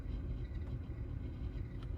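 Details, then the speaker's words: 2017 Audi Q5 3.0T with the HVAC blower on a low setting gives a low, uneven rattling rumble; the blower motor under the glove box has a worn bearing and is being replaced. "So I turned it off, turned it back on, put it on a low setting, and you can still hear that rattling noise coming from the blower motor. Definitely the bearing inside is shot."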